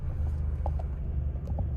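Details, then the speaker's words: 2006 Scion tC, 156k miles, just bought at auction: steady smooth idle rumble with no shaking, a couple of faint light clicks; drives well, not burning oil, temperature normal. "but yeah she drives really good she doesn't shake she idles"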